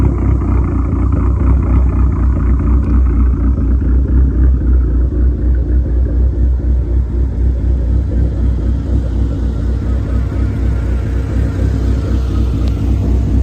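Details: SRT-4 with big cams and big turbo, after tune adjustment raising idle rpm by 100 for smoothness: deep, even rumble with a steady lope of about four pulses per second and no misses; normal, smooth idle.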